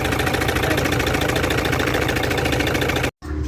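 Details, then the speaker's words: Toyota Fortuner 3.0 diesel with code P0200 injector circuit malfunction idles with an uneven, lumpy beat and a hard shake like a motorbike. One cylinder is dead from a broken injector wire, causing a misfire. "so yun ang problema ngayon na ating ia-address guys yung concern na yon Sobrang lakas na parang motorsiklo yung andar"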